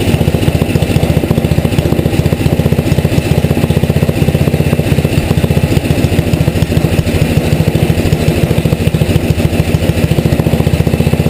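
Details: Tecumseh HM80 single-cylinder engine, relatively warm, choke off, carburetor needle set one turn out from seated; steady, even putter at low idle with no hunting or misses; idle mixture set right.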